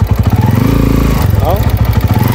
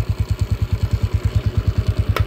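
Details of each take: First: Honda TMX 155 motorcycle on test ride before overhaul: rough, uneven rattly beat rising with throttle over a steady drone, unlike a normally smooth TMX 155. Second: TMX 155 motorcycle test ride after replacing the noisy clutch (panggilid) set: steady even single-cylinder thump, no whine in first gear; normal running after repair, though a cracked valve guide was later found.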